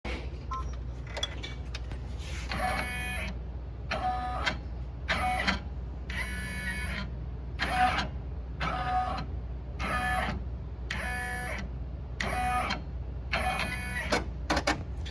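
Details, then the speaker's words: Brother 1050X serger, serviced by a dealer within the last month: steady hum with a high, reedy squeak about once a second while running that just started; owner wonders if a bar needs lubricating. "so you can hear the squeaking noise this just started I haven't done anything as I don't want to create any problems I'm wondering if this bar needs to be lubed"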